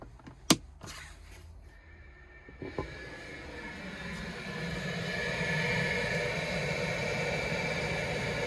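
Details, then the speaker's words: Propex gas heater in a truck camper, set to its lowest setting on a cold day: a couple of switch clicks, then a smooth fan whir building over a few seconds and settling steady; normal heater fan startup. "And you can hear it whirling away now."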